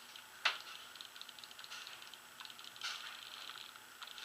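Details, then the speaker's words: 2011 Proto Matrix Rail (PMR) paintball marker bought used on eBay, eyes turned off: light dry trigger and solenoid clicks, one sharp snap per pull. Nothing sounds broken, but the trigger sensitivity is off and needs tuning. "the trigger sensitivity on this thing is a little bit different so we definitely need to tune this marker to uh my brother's style of play"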